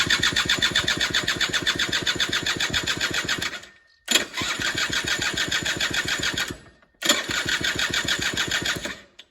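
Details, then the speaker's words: Suzuki LT80 two-stroke ATV on a compression test before rebuild: three cranking runs of weak, uneven puffs about four per second that never run; about 80 psi against a 100 psi minimum; low compression, rebuild needed. "So there we're getting about 80 psi, which is enough to make that farting and sparking that we're getting, but not enough to keep it running."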